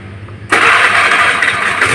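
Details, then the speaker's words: Honda Vario CW 110 scooter that stutters and nearly stalls on bumpy roads; likely a faulty side-stand switch rather than the plug. Quick catch, then a steady even idle buzz with no misfire or stumble, normal start and idle. "motor iniya bagus dan tidak tidak ada permasalahan ya"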